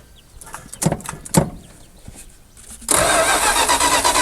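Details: 1976 Dodge Power Wagon W100 parked 16 years, fuel poured in: a few cranking thumps then catches, runs rough and loud about a second; carburetor suspected to need rebuild.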